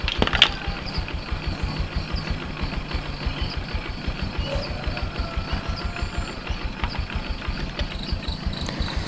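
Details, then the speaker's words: Yamaha Jupiter MX carbureted single-cylinder after carburetor service and refitting, before idle and air-screw adjustment: uneven, lumpy idle with slight stumble. "kita hidupkan dulu motornya ya Bro ini belum keadaan belum saya setel tadi"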